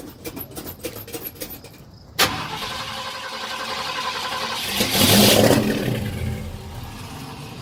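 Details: 1972 Ford truck, recorded in 2019, cold start: slow uneven cranking for two seconds before it catches, then a rough rising rev and unsteady run; hard cold start, cause unknown.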